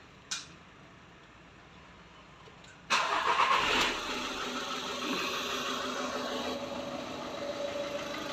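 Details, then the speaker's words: Skoda Rapid diesel right after its injectors were replaced: the engine cranks and catches, then settles into a rattly idle with a steady tapping knock; the new injectors need their minimum-quantity adaptation run. "अ झाल injector replace किया है हमने अ और इसमें थोड़ा सा ना cutting आ रहा है मैं आपको दिखाते हैं"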